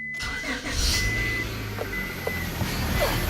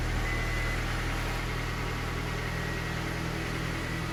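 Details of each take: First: 1998 Honda Accord EX 4-cylinder with plenty of power steering fluid: the engine catches and settles while a thin, steady whine comes and goes over it. The power steering pump is failing. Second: 1998–2002 Honda Accord 4-cylinder idling after power steering pump replacement, belt refitted and fluid topped up: quiet, even idle with a steady low hum and no whine or groan from the pump. Sounds healthy.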